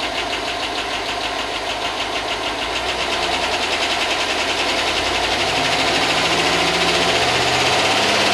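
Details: Chevy 5.3 LS in a rusted Tahoe donor, first start after sitting a long time, good oil: fast light ticking about three per second over an idle that climbs slightly. Owner hopes the lifters pump up; cause unconfirmed.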